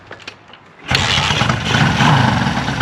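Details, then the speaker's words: Honda CB550 after tank work: a few quiet clicks, then it starts on the first kick of the kickstarter and settles into a steady, even idle. "Wow. One kick. This first ride was amazing."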